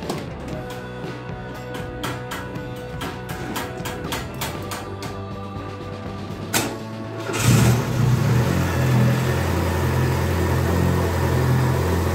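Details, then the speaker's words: VW Gol AP 1.6 engine started right after an oil and oil filter change. The starter cranks evenly for about seven seconds, then the engine catches and settles into a steady, smooth idle without throttle. Normal start. "Vou fechar aqui e dar partida no carro pra. Tá fechado, beleza. Não acelera, não acelera, deixa ele."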